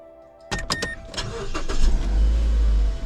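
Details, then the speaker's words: 2011 Mazda 3 after a new flip key was cut and its chip programmed; the security light is off. A few clicks, then the engine starts at once and settles into a steady idle. The remote still needs separate programming. "no security light everything the car starts but the remote part needs to be programmed separately"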